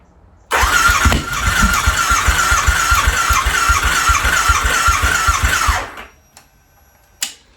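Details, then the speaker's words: Harley V-Rod first start in at least four years, new battery, throttle body refitted, fresh 91-octane fuel, old bad gas still in lines: steady starter chug about 2.5 beats per second for five seconds without firing; long crank, no start, cause unconfirmed. "Yeah, still pumping through a little bit of that bad gas in there, I'm hoping. I was hoping for a nice, good start."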